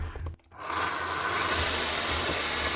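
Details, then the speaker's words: Makita HR5211C rotary hammer from 2012 (1,500 W), out of drill mode, before repair: the motor spins up to a smooth steady whine with no hammer blows, turning free. The cause found was a broken conrod. "Right, he must have meant it just stopped hammering. Because that's not doing anything."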